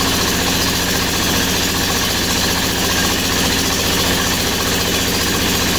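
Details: MEP-802A diesel generator first start after piston ring replacement (previously one cylinder firing, blue smoke, blowby): steady even clatter with no misfire or stumble, sounding like both cylinders firing.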